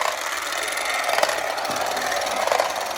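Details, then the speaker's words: Late-1960s/early-1970s Remco Tiger Cat toy jeep on new batteries, in high gear: steady high-pitched motor whine with light gear buzz, free-running without binding or clicks; normal running. "That goes pretty good."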